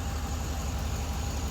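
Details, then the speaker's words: 2004 Chevy Silverado, 6.0-litre V8 that had a ticking or tapping noise: about 2 minutes after adding an engine flush additive before an oil change, it idles with a steady, low, even rumble and no ticking or knocking; it is quiet. "Do you hear any noise? Quiet as a mouse. I love it. It works."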